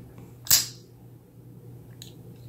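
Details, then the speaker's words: Kizer Cozy folding knife (154CM steel, Micarta), breaking in after substantial lock stick: a faint short squeak, then crisp clicks as the blade locks. Lock squeak and click during operation. "it's like a little squeak and then there you can hear a little bit of a click sometimes this knife had pretty substantial lock stick and it's breaking in now it's got a little bit of this it's got that squeak now which I'm not a big fan of"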